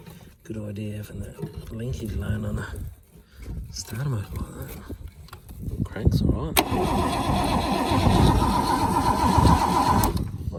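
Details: Holden FC grey motor, first start attempt in 50 years, hot-wired coil with no resistor, fuel plumbed but likely not picking up yet, sparks present: starter turns the engine over at a steady four beats a second but it never catches or fires.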